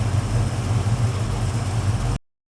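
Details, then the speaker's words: 1969 Chevelle 383 V8 with fairly aggressive camshaft and a new FST Billet X-treme carb, idle set at about 800 rpm after air/fuel adjustment, fuel pressure and TPS set: deep, lumpy, steady loping idle; smooth and healthy. "okay that sounds really nice okay so we're adding about 30 no there's a fairly aggressive camshaft on a 383 and idling right now at about 800 rpm"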